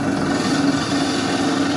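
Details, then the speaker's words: Wells F-15 auto saw running with pump and blade on: steady hum with a wavering mid-pitched whine that comes and goes from the worn variable speed pulley, due for replacement. "That noise you hear is the pulley. That's good. Excellent. But it's a good machine. It just needs that pulley."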